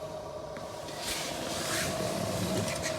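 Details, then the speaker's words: 2003 Chevrolet Avalanche 1500, blower fan running: thin steady whine over airflow rush; blower motor bearing gone dry, blower motor replaced. "and my blower fan has developed a noise"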